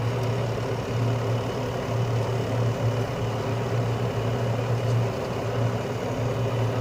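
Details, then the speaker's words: Carrier Infinity 96 (58MVB-080) direct-vent gas furnace heating on low stage, which it runs about 90% of the time, with outside combustion air and blower-on delay while the heat exchanger warms: quiet steady rumble, low hum and soft burner roar, no rattles or surging; normal. "it's very quiet especially when running in low stage um it normally runs in low stage about 90% of the time"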